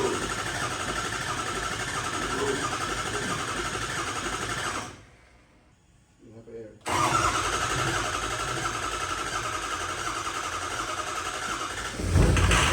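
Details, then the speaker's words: Ford 6.0 Powerstroke diesel after work, new tune loaded, injectors full of air: long steady starter cranking with a short pause, not catching; extended cranking expected, about a minute, to purge air from injectors. "I know it's going to take a while to crank because these injectors have a lot of air in them so usually it takes like a minute or so of cranking for them to start up"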